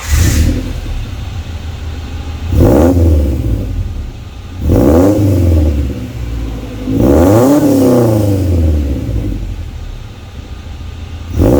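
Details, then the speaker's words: Honda wagon after installing a new Vibrant Performance muffler in place of a bad one: revs up and settles repeatedly with deep, slightly raspy exhaust, no rattling or banging; quieter than before, normal exhaust note. "It was a pretty easy install, and it doesn't sound as loud as before. Obviously, the muffler quieted it down a little bit compared to the muffler that I had on before. It still has that nice raspy sound to it, which I really like."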